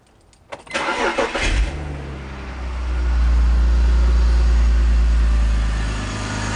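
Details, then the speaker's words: E46 BMW 3-Series after replacing all spark plugs to cure a sporadic startup misfire: it cranks briefly, catches cleanly and settles into a smooth steady idle with no misfire. "not sure if we can hear it, but there's no misfiring at all. Things running perfectly."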